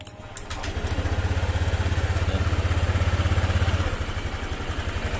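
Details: Honda Vario 125 FI scooter, previously rough-sounding, first start after reassembly with timing marks aligned: steady even putter at about 200 pulses a minute, low and smooth with no rattle or knock; normal idle.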